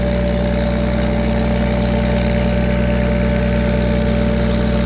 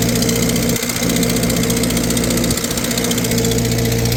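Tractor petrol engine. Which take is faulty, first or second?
second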